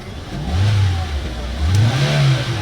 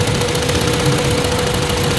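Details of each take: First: Hyundai Elantra, warm engine, after fixing crank-no-start caused by a burnt ECU box; scanner clean; revs up twice to about 6,000 rpm and settles back cleanly, pitch rising and falling smoothly; healthy revving. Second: Hyundai Elantra after computer box repair for no crank no start: steady idle with uneven, shaky pulse; one cylinder weak and misfiring, found by pulling plugs one at a time, its plug oil-soaked.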